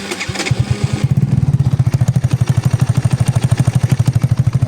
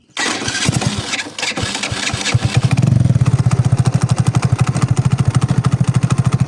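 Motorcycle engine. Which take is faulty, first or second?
second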